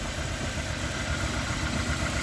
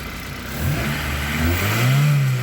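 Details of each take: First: Honda Accord CB7 with a G23 VTEC engine, newly installed: a lumpy, uneven idle from a misfire. Spark was confirmed at all plugs, and unplugging injectors later points to cylinder number two. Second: Honda Accord CB7 with G23 VTEC engine after new OBD2 injector installed in cylinder three: blips up and settles to even idle without stumbles; running smoother, no more misfires.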